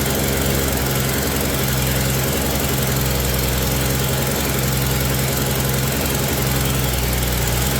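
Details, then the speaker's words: 1965 Mercury Comet Caliente, not run in 10 years: lumpy, uneven idle with a steady low thump and slight knock, ignition timing too retarded at 6, before advancing it to 12 smooths the idle. "All right. At 6, I bumped up to 12, you can hear it smooth right out."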